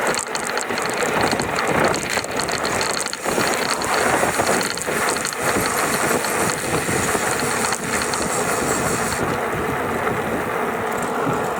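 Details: GoCruiser electric drive: fast dry ratcheting rattle over the motor whir between 670 and 725 watts, steady through that range; something loose in the drive, cause undetermined.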